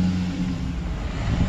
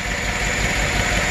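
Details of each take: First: Chevrolet Silverado 5.3 V8 with DOD/AFM lifter collapse (misfire on cylinder 4), starting after lifter replacement: engine catches and settles into a deep, steady rumble with no ticking on top, a clean healthy start. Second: GM 5.3 DOD/AFM Silverado V8 running with the valve covers off: rough, lumpy idle with a steady pulsing stumble. The cylinder 3 intake rocker is not moving, so the collapsed intake lifter causes the misfire.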